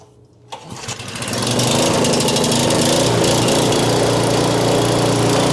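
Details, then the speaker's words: Homelite 4000 watt generator that sat unused and wouldn't run, after carburetor cleaning and quarter-turn needle valve adjustment that cured surging: engine catches with a brief rough start, then settles into a steady, even run with no hunting; running normally. "There she is, running like a champ. I did have to adjust this needle valve down below here."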